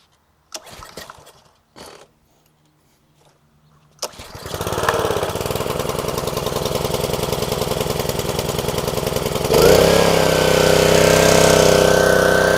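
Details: Dumpster-rescued Ryobi pressure washer, 190cc Honda engine, first start after fitting new 3000 psi vertical pump: few recoil pulls, catches quickly, runs steady and even, settling smoothly as pump takes load.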